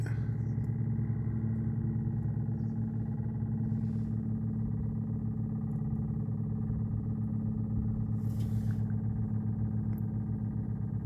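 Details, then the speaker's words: Volvo V70 in-tank fuel pump after fuel filter replacement: steady buzzy electric hum with a fixed low drone persists, still sounds bad; the pump inside the tank is noisy, not the filter. "well as you can hear that still doesn't sound great"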